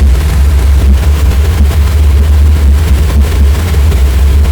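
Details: Pressure washer boiler burner firing after the trigger is pulled, with the fan motor and transformer already running: a deep, steady roar with an even low rumble and no sputter or pulsing, so the burner is firing normally.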